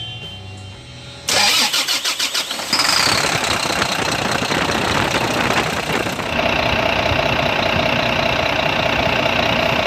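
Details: Volvo FM 400 truck with a Volvo D11 diesel engine after repair: a brief crank, firing within about a second, then a steady even idle; the no-start was caused by a seized idler pulley installed backwards.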